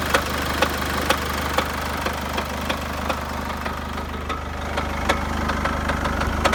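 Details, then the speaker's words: Chevrolet Captiva 2.2 diesel: sharp metallic knock about twice a second at idle, loud at low revs and gone at higher revs, from the oil pan area; cracked flywheel found, aluminum shavings in pan. "и стук в двигателе вот наконец-то нашли вот она трещина маховике вот"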